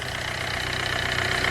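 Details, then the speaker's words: Hyundai Getz petrol engine at 149,000, after clutch kit and oil pan gasket replacement for oil loss and poor pulling: short stretch of smooth, constant idle with a steady beat and no tapping or stumbling; healthy. "şu araç gayet güzel çalışıyor saatlerimi çok güzel"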